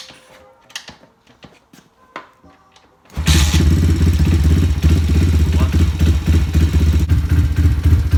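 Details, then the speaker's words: Thumpstar 140cc pit bike single after fresh oil, warming up on kick start with idle set as low as it will go without stalling: lumpy but regular thump at about three to four beats a second, like a big cam, no mechanical noise; normal idle. "But kind of sounds like it's got a big cam in it. I've got the idle basically as low as it can go without stalling."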